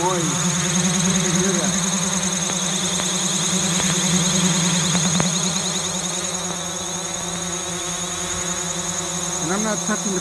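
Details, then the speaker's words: DJI Mavic drone, uncrashed, hovering without control input while wobbling and drifting: steady high propeller hum whose pitch keeps wavering and surging, one motor sounding off; later fixed by a factory reset via DJI Assistant. Abnormal motor noise. "And now it's wobbling and drifting. So it looks like one of the motors, and it's making"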